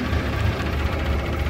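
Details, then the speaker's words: Pre-war car engine, either an Austin 7 or a Riley 9, at full temperature after warming up under load: low, even idle putter with no knocks or misses; oil pressure is down about 5 psi, which is normal. "See the oil pressure's down about 5 psi, which is about normal, and it seems to be running okay."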